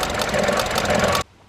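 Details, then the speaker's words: Vauxhall Adam running badly, recurring click: about a second of rough, uneven chatter with irregular beats, then quiet; owner diagnoses a really sick coil pack to be removed, tested and replaced; misfire from failed coil pack. "i've got a sick coil back so what you're going to do is we're going to take the coil pack out and take it into the garage and see do some testing but ultimately we're going to change it oh my god it's really sick"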